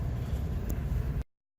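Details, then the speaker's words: Carrier rooftop unit 20 horsepower electric motor running with a low, smooth, quiet hum after bearing replacement; failed back bearing replaced, now whisper quiet. "new bearing whisper quiet"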